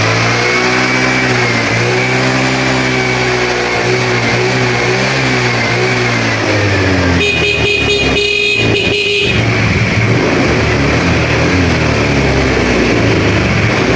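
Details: Honda Vario 110 scooter after work on its lost-ignition problem, started. Engine pitch rises and falls cleanly through the revs with a brief horn toot; runs evenly and healthy.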